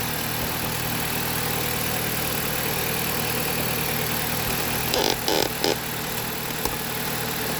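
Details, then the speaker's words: Jeep Patriot with 162,000 miles, codes P0302, P0171, P2096 and P000A, idling after an ignition coil replacement: a steady, even petrol idle with no misfire stumble, running well, just due an oil change. "Cool. It's running real good. I'm not gonna let it run too terribly long because I gotta change the oil."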